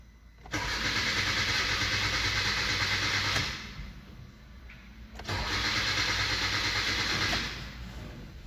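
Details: 2016 Hyundai Accent petrol engine cranks steadily in two bursts, about three turns a second, but never catches; lights and engine light on, fuel present, no codes, injector pulse not arriving, so coil and injector wiring are to be checked.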